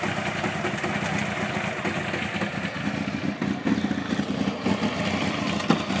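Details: 1992 Honda CBR900 motorcycle running: uneven mechanical clatter over the engine note; owner suspects timing chain or cam chain tensioner, or something else, cause unconfirmed.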